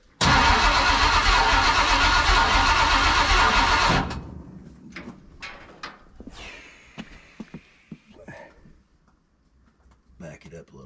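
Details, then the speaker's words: Ford big-block 460 V8 in a 1956 F-100, first start on open headers with no mufflers: loud roar for about four seconds, then cuts out abruptly and stays dead, starved of fuel because the mechanical fuel pump failed and needs replacing. "well the fuel pump on the truck the mechanic pumps no good so I'm headed to O'Reilly's right now to go pick one up she ran for a couple seconds and then the fuel pump just went to the pooing"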